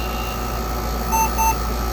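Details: Compaq Portable II after the memory error repair and GoTek mod: two short high beeps a fraction of a second apart over a steady fan hum; a clean power-on self-test that counts 640K and boots from the hard drive without errors.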